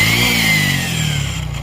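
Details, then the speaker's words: Honda XRM motorcycle engine revving down with a loud, harsh metallic whir and rasp: the starter gear hitting the large crankshaft gear and damaging the crankshaft, which shows a rough worn spot once opened. "Hindi ako nagkakamali mga idol ay yung gear sa starter mga idol. Yung malaki yung crank shop niya ay tinamaan niya na mga idol."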